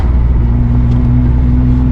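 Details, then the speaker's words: Infiniti G37 driven on a freezing day: steady low engine drone with faint pulsing, the car jerking and surging instead of pulling cleanly. It goes into limp mode, and the tuner found a VVEL module code, so the owner suspects a bad VVEL module. "So, I don't know. I know you guys can hear that it's jerking. It's jerking like some jerk chicken, man."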